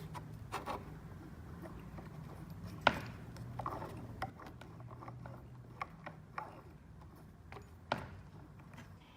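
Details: Boosted Stealth electric skateboard, back left motor: scattered sharp clicks, then the motor spins up with a rising and falling whine; the clicking is loud enough to hear blocks away, wheel and bearings were ruled out, and the motor is blamed.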